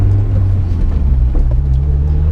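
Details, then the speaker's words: Honda S2000 AP1 driven in winter, cabin at road speed: steady low drone and rumble from differential and transmission fills the cabin, constant hum with no knocks; normal for this car. "so it is a little bit noisy in here especially when the top is up you can hear everything like the differential the transmission you can hear everything in the back"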